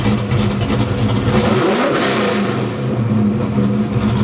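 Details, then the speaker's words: Ford Fox Body V8 with stepper idle valve conversion, during idle tuning: revs then eases slowly down to idle; extra ignition timing in the idle drop region slows the descent. "See how the idle slows down a little bit in its descent? So, it slows the idle drop and it makes it a bit cleaner as it drops in."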